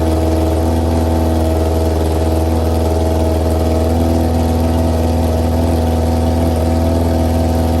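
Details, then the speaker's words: 2001 Yamaha YZF R6 after carburetor rebuild, all jets changed and bad gas flushed, first run in three years: steady, even idle with smooth low drone, no misses or knocks. Normal idle. "It's been all day working on this thing, but I finally got it started."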